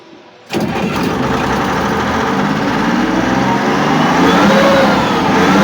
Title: тестовый запуск мотора после ремонта бмп YPR 756.